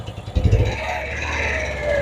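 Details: Engine with confirmed misfire, stumbling badly and shaking, during vacuum testing: short throttle blip gives uneven, clattery rev dropping quickly back to a lumpy idle; engine makes very little vacuum.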